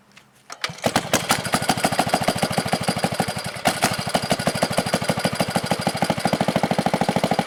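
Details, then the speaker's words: 1970 Wisconsin BKN flathead single-cylinder engine, about 7 HP, after sanding the points: it catches after a few pulls with the choke eased off and settles into a steady, even beat with no misses; healthy running. "But that noise that coil makes, you don't hear it when it's running."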